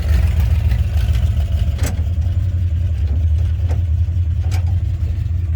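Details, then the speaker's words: Demo derby car the owner thinks has blown up, running in neutral: heavy, uneven low rumble with a rough lumpy beat and sharp clacks on top. A later borescope saw nothing, so the cause is unclear; abnormal engine noise. "Thinking that it's blowed up. It's definitely making some engine noises."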